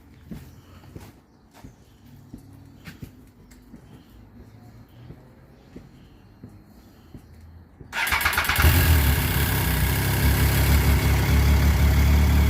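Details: 2012 Triumph Street Triple 675 R after front fork seal and oil replacement, reassembled: quiet handling noises, then the engine catches at about eight seconds and settles into a strong, even idle with no knocks; normal start.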